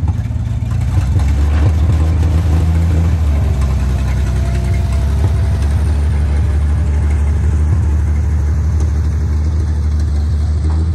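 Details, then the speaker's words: International 1-ton flatbed (stated 1947 or 1949), revived after about 50-53 years sitting, 12-volt with replacement coil lacking required resistor; deep steady inline-six rumble while pulling along, no misfire, knock or stumble; runs peppy in second and third gear, normal. "So we got her running, we got her driving. She does pretty good. She's pretty peppy."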